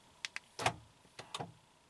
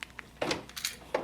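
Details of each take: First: 2012 Honda Accord front driver door lock actuator/latch assembly after replacement; two crisp lock clicks then short clean clunks as lock cycles, no buzzing or grinding, healthy quiet actuator. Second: 2012 Honda Accord, front driver door lock actuator: quick lock clunks, then a brief whining buzz right at the end of unlocking. The worn gears inside the failing actuator cause the whine, and the actuator is being replaced.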